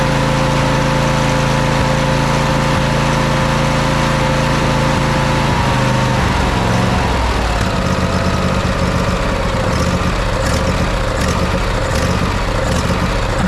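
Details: Craftsman riding mower with Briggs & Stratton V-twin after carburetor replacement: steady speed that sags and picks back up unevenly, with popping and crackling; air leaks sprayed for, spark plug change next; engine surging, cause unclear.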